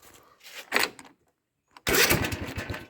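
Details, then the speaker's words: Husqvarna 254 zero-turn mower, left dead for a year after quitting in a creek bed, seat/safety switch bypassed: starter cranks in short bursts, briefly catches then dies; tank empty, cranks but will not start for lack of fuel. "Oh, heck, the thing almost started. All right, well, I know it has no gas in it."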